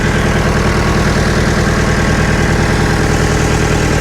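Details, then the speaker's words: Scrapyard diesel forklift, starter possibly weak from a low battery, fuel pump missing its bolts: finally running with a steady, even diesel clatter at idle, about two pulses a second, no misses, slight leak noted; normal idle. "ồ, nó chạy thực sự chạy khá tốt có rò rỉ khí"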